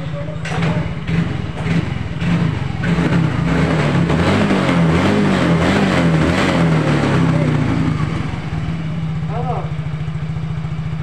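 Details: Yamaha Mio J scooter, test run after fitting a new starter motor (dynamo) to fix a starter that only clicked: the single-cylinder engine putters evenly under loud music and settles into a steady, healthy idle.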